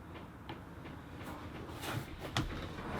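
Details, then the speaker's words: Chinese 5 kW diesel heater installed in a caravan, its fuel dosing pump priming normally after pressing the UP button. It gives light, sharp ticks about once or twice a second, with a green light showing the pump is active. "press the UP button and now you'll be able to hear the fuel ticking"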